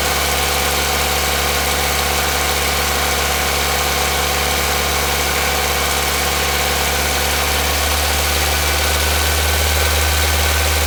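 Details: Nissan Micra engine at 3,546 km, steady idle with uneven fairly quick knock about three or four per second; engine knocking, cause unknown.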